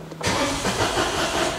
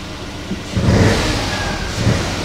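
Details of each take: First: Citroen Aircross 1.2 82 PS three-cylinder after codes were cleared: fuel pump keeps running, starter churns about a second and a half, tries to fire on the first turns then dies. Cranks, no start; cause not confirmed. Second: Citroen Aircross 1.2 82 PS three-cylinder, fired straight up after an earlier failed start. Smooth three-cylinder idle with several clean throttle blips that rise and settle evenly, no knocks or rattles; normal idle and revving.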